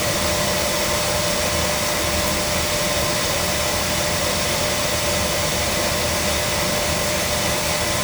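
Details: Oil burner being serviced after surging and clanging, starving for oil, air bled from the pump: steady, even roar of flame and fan with no pulsing, puffing or rumble; burner firing cleanly, normal operation.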